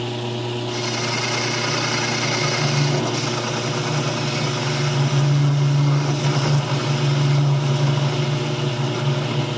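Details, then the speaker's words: Home-built concrete lathe after a chuck adaptor and handwheel upgrade, taking a heavier facing cut in steel. Steady low hum with a rough, buzzing vibration undertone that is still evident; source not pinned down. "still hear that vibration in there in steel I find it still pretty evident"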